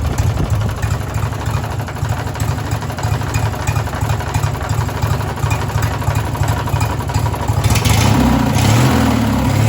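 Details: Race mower small engine idling then revving with an irregular knock about three times a second beneath it; owner suspects rod knock and fears it may blow up, cause unconfirmed.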